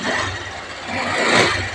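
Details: Honda Click 150 scooter with check engine light that wouldn't start, relay just clicking; loose ECU wire/socket wiggled and it runs: steady idle, soft low hum under a hissy airy wash.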